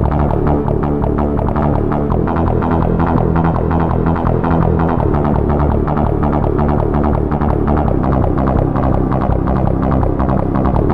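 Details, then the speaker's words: Roland CM-64 (MT-32-compatible) synth module, the properly working unit: clean synth music with a steady pulsing beat and no clicks or pops between notes, unlike the unit with the first 1.00 ROM. "So that's basically what it's supposed to sound like."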